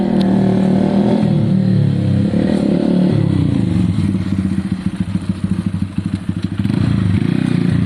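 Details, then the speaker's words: Honda CBF 125 streetfighter build after MOT prep, test ride up and down the road: small single-cylinder pulls cleanly through the gears, even exhaust beat rising and falling with throttle, no knocking or rattling; normal running, feels great. "Honestly guys, for a 125 it feels absolutely great."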